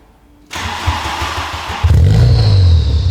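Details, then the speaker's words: VW Golf GTI Mk3 rally project, phone placed next to exhaust: engine fires and settles into a deep, booming idle drone reading 99 dB at tick over, over the 92 dB track limit; hollow universal Powerflow rear box, to be replaced. "So, already on tick over it's 99. So, there's no point revving it up."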